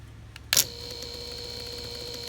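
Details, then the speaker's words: New 120 V drain pump motor for a Samsung front-loading washer with an ND no-drain code: a sharp click, then an instant, even hum with a faint high whine; it runs smoothly with full torque. "You can see how much smoother this runs. Clicks right on. Full torque."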